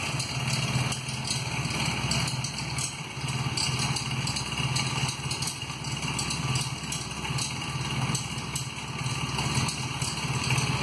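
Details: 1994 Honda Magna V4 motorcycle idling with a busy metallic clatter over the engine note from a broken front cam chain tensioner.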